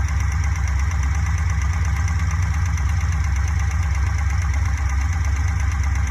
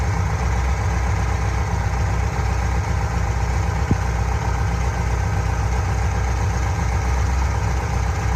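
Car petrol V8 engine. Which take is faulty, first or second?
first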